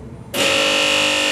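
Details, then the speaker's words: Saeco Royal Cappuccino coffee machine showing Ventilate, hot water button pressed: sudden steady high pump buzz while trapped air is pushed out and the air lock clears. "and the Cofe machine will make this noise and we get rid of the a loock once the the Flor coming from from the St"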